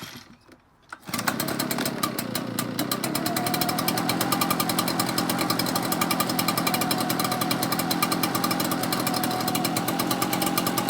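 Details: Echo backpack blower with a previous no-start, after fitting a replacement aftermarket carburetor and flushing the fuel; started on choke. Steady high buzz with fast, even firing and no surging or bogging; running normally.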